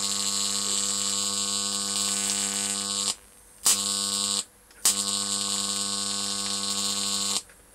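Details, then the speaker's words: Homemade high-voltage transformer with new, better-insulated secondary coil: harsh steady arc buzz across a 2-inch gap, cutting out twice and restriking. "not bad eh 2 in gap wonder how long I can keep that running for"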